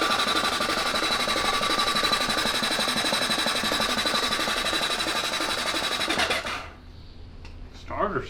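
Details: Honda CB750 SOHC four-cylinder in a 1980s Suzuki Quad Sport 230, not run in years, cylinders just lubricated: steady, even, strong fast cranking at about four beats a second for six seconds. Starter turns normally; ignition unchecked.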